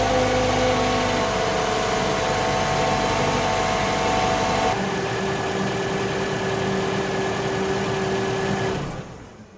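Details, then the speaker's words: 2017 Toyota RAV4 2.5 L gasoline engine idling after an oil and filter change, before the oil level check: a smooth, even idle whose hum settles a little lower partway through, with no knocks or misses. "We're going to start it up real quick and then let it run for a little bit and then check the oil level."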